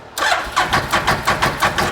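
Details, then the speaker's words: 2012 Bennche Spire 800 UTV, after cleaning the injectors: starter turns the engine over in even beats, about five a second, but it never fires; no fuel coming from the injectors, fuel pump being rechecked. "it was firing off of the the railing but now I'm not getting any fuel at all out of these guys that's a really interesting part right there"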